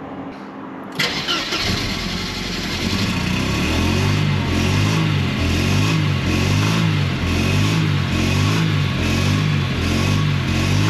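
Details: Mercedes W124 220CE with suspected wiring harness fault, after replacing crankshaft position sensor and disturbing coils: starter chugs about four beats a second for many seconds before catching, then rough idle; long-cranking hard start, cause unconfirmed.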